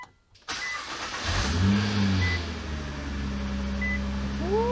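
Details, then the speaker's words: 2019 Nissan GTR Track Edition started right after an oil change: brief crank, clean catch, then a steady even idle with a light rising whine. No bad noises about 30 seconds in; a normal start and idle. "so far so good Motors one tack I don't hear any bad noises it's been about 30 seconds"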